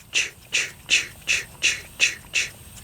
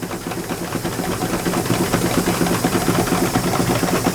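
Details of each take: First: All-brass miniature steam engine run as slowly as possible: soft, even exhaust chuffs a little over two per second in a steady galloping rhythm, no knocks; runs smoothly at low speed. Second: Miniature steam engine in a collection, first run in 19 years: quick fairly steady chuffing about two beats a second under steam hiss; engine overspeeding on too much air, needs throttling back.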